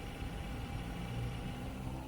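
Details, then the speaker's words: Corsair H60 water-cooler pump: low, buzzy rattle steadily under the pump whir; suspected, from reading, to be caused by the power supply 12 V rail sitting just over 12.2–12.3 V, not confirmed. "quite a common noise the rattling noise that comes from the pump um caused commonly by some from what I read um the when your power supply the 12vt rail is like just over like 12.2 12.3 sort of volts and it makes that annoying sound"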